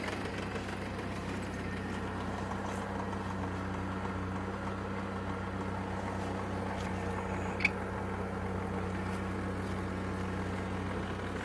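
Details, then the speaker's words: Wrecked 1999 GMC Sonoma parts truck, idling after gear test: steady low even rumble, no knocks, ticks or misses under background clatter; motor sounds good. "The motor sounds good."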